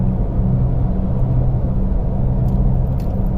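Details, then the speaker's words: 2009 Toyota Tundra 5.7L under way with a steady low droning rumble and road noise, no misfires; suspected bad wheel bearing, possibly at the rear, unconfirmed. "It sounds like he has a wheel bearing going bad, guys."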